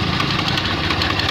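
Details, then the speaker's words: Honda Beat FI scooter fitted with overly extreme CVT rollers: harsh, gravelly rattle from the drive side instead of a smooth hum, with heavy vibration; CVT roughness from over-modified variator rollers. "nah disini mengalami masalah pada bagian CVT bunyi Hai kasar seperti ini kasarnya saya coba dulu Oh ini teman-teman"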